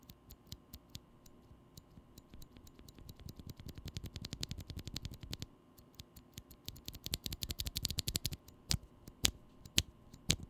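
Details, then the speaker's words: Glorious Panda tactile mechanical keyboard switch, regularly lubed with Krytox mix but leaf spring not lubed: irregular key presses with a thin metallic tick on each stroke; leaf spring tick still clearly audible. "as you can probably tell the leaf spring tick noise is fairly easy to pick up even on the regularly lubed glorious bandit"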